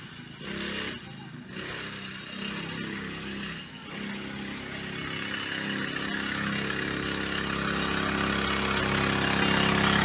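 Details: Small four-stroke bike engine started with a little choke for the first time in weeks after fitting a new transmission drive belt: catches and settles into a steady, even beat that builds slightly, with no slipping or chatter; runs fine.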